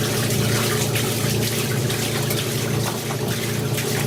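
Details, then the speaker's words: Maytag A407 washer converted to A606 two-speed setup, large load, after 45-second timer pause: steady rushing water over even pump hum as 4.5-minute drain and spin begins; draining normally. "Alright, so we're in a 45-second pause in order for the timer to set up the motor for a 4-minute and 30-second drain and spin."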